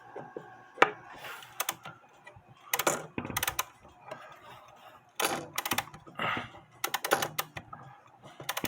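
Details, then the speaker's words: Seth Thomas Sonora clock with balance escapement: irregular bursts of ratchet clicks with quiet gaps during winding; the mainspring seems to be slipping and not catching, the click is suspected. "the mainspring is slipping as I wind it up It's not catching The Click um might be slipping but anyway I'm gonna have to fix it"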